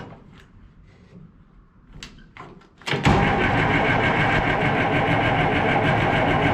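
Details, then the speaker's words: Farm diesel not run in a while, with a freshly fitted battery, cranking. Starter spins at an even rhythm but it never catches; owner suspects air in the fuel injection system, needing bleeding. "oh hey I got fuel but now I don't have smoke anymore I'm guessing they're got some air in the fuel system somewhere"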